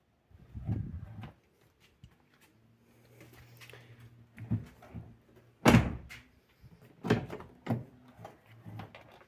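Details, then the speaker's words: Jeep Patriot door hinges after greasing with solidol grease: door swings fully open to its stop and thumps shut with clean soft thuds, no creak or squeal; squeak fixed. "так дивимося змащуємо ще трохи Якщо у вас вже скрип прийшов Тоді вам достатньо і так перевіряємо роботу Як бачите двері повністю відкриті на останнє положення і як чуєте скрипу Уже немає"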